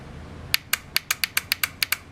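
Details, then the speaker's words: Honda Accord F23 turbo, VTEC solenoid unplugged and bench-tested with direct battery power: sharp crisp clicks each time power is applied, about eleven in under two seconds; solenoid switches properly and is good. "still noise clicking so we know that's good"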